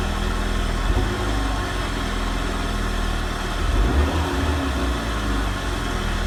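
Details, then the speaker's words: Renault Megane RS Cup 225 after fitting a replacement eBay fuel pump assembly: steady, even idle with a faint constant hum from the new pump underneath, which the old pump never made; no leaks, fuel level low. "What's interesting is I can actually hear this fuel pump. I couldn't hear the previous one whatsoever."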